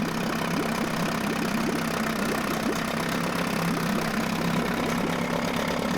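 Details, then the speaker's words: Mercury 9.8 hp 110 two-stroke outboard idling after clearing a clog from the pee (tell-tale) hole and adjusting idle; fuel tank low: even, steady burble without stumbling or knocking, running smoothly and healthy. "all right we brought out that uh clog that was in the pee hole adjusted the idle thumb running good now"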